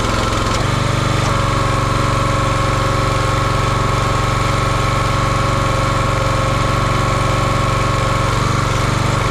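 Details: Champion 27-ton log splitter with a 224cc engine, stored outside, restarted while checking a hydraulic fitting leak that needs a new hose: a steady, even single-cylinder chug with no misses or knocks.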